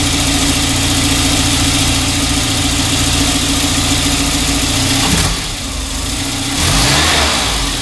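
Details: 1994 Volvo 940 Turbo wagon near 200,000 miles, after new fuel injectors and a new fuel filter fixed an injector misfire. An even idle with a steady tone, then a clean rev blip near the end with no misfire or stumble: running healthy.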